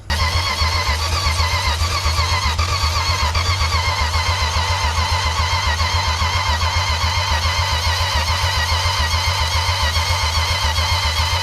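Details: 1962 Plymouth Valiant slant six, long non-running, spark tester fitted, fuel system hooked up: even cranking at about four beats a second for over ten seconds, never firing; weak vacuum and wet, unatomized fuel suspected.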